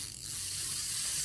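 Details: Small Japanese lure spinning reel, stated as 4.7:1 gear ratio: handle turning gives a fine, even gear whirr with no catches, grinding or clicks; normal, smooth cranking.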